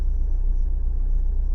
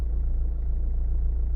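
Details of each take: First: Renault/Dacia 1.5 dCi diesel on a cold start: a lumpy, uneven idle that shakes as it seems to run on three cylinders, a misfire traced to one injector whose back-leak value rises to about 1.80–2.0 when cold; it smooths out after about five minutes. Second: Renault/Dacia 1.5 dCi diesel warmed up after cold-start misfire from a faulty injector. A deep, even rumble with a regular beat and no skips; only a slight vibration remains, then it idles smoothly and steadily.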